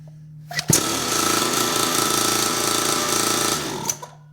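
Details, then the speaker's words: Newly assembled kids' dirt bike, carburetor not leaking, testing one of its two kill switches: small engine at a steady high-revving rattle cuts off cleanly within a second; kill switch shuts it down properly. "Let's turn the key on, we'll start it up. And I want to make sure both of these kill switches work. All right, that one works."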